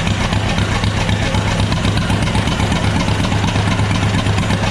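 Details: John Deere B tractor (s/n 147828) first run without radiator, in neutral, choked; even low putt-putt about four beats a second, no misses or knocks, running normally; oil pressure gauge read none, gauge suspected faulty, possibly low oil.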